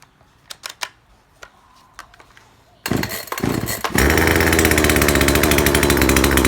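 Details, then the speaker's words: Chainsaw after its over-rich carburettor fuel screw was adjusted, with fine tuning still to come: fires after a few pulls and climbs to a clean, steady high rev with no stumble or bogging; normal revving. "กับคุณว่าโอเคต่อไปเป็นปกติอ่ะนะเนี่ยก็ประมาณนี้แหละ"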